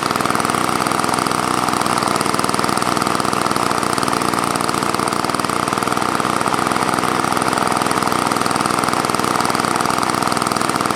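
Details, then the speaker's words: Old Toro snowblower with engine swapped in from another unit, primer function uncertain: small engine buzzing steadily with slightly uneven note, started then stopped after carb refit, still finicky; rough running and stalling. "yeah started and stopped um but it still seems kind of finicky yeah it's wicked old"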